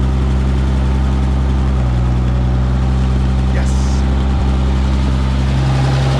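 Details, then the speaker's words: Minneapolis Moline G900 LP tractor after removing a bird's nest and resetting a gummed-up part: deep, steady low-pitched idle with even beat and no hunting or stalling; normal idle. "oh my reliable dragger back to being reliable so good"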